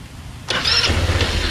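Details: Chinese scooter sitting 9 years, first crank on fresh fuel, ignition on, no throttle: starter whirs and spins engine briefly with no firing, fuel not yet reaching carburetor; crank, no start.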